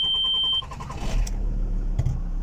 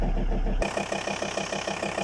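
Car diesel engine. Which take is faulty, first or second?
second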